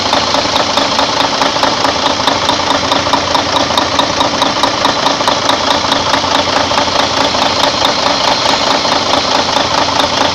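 Even, steady diesel clatter with a regular rhythm and no loose knocks or misses; the engine idles healthy.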